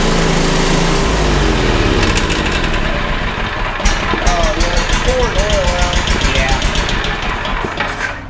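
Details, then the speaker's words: Bandit SG-40 stump grinder engine that took a lot of oil: revs unevenly with a rough, irregular knocking clatter under the drone; something is wrong internally, owners suspect a thrown rod or a hole in the block. "Yeah, there's something wrong with it. I wonder if it's got a thrown rod."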